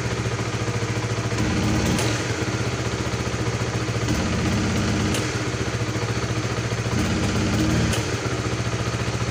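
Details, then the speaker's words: Supra GTR 150 motorcycle idling: fine with gradual throttle, but sudden throttle blips stumble and bog instead of revving; misadjusted throttle position sensor. "Ya seperti yang kalian lihat tading di sepeda motor ini saat gas kita urut bila song normal apabila saat gas disendokin langsung sentak terjadi brebet gas kosong"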